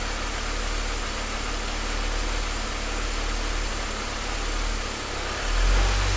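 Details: Deep idle with an uneven, lumpy pulse at about three to four beats a second that never settles into a steady rhythm; rough idle.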